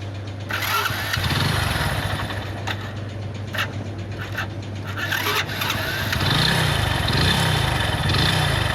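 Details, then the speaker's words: Hero Splendor motorcycle single: heavy knocking that follows the revs; damaged crankshaft with broken bearings, worn big-end; sound similar to piston noise, engine opened afterward. "इसके engine में से एक आवाज़ ए रही है इसकी crack मिट गई है खराब हो गई है उसके बेयरिंग वगैरह टूट गए हैं इस वजह से इसके इंजन में ऐसे आवाज़ ए रही है"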